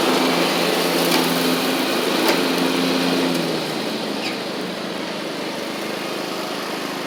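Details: Troy-Bilt Horse XP on a replacement engine, cutting passes after an overnight sit; it didn't want to start that morning. Steady single-cylinder buzz with whirring blade, settling slightly as it takes the cut, running even. Healthy normal running under load.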